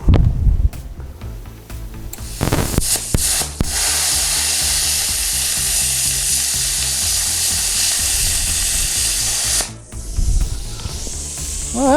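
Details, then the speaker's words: Hynade CUT-40 (HYC410) 110V plasma cutter at 60 psi and 30 amps cutting 1/8-inch aluminum. A few crackles on the strike, then a steady loud hiss for about six seconds; stable cutting arc, though the tip must nearly touch the workpiece to start. "not bad all right so it doesn't it's definitely not the arc start you do have to have your tip pretty much on the work piece"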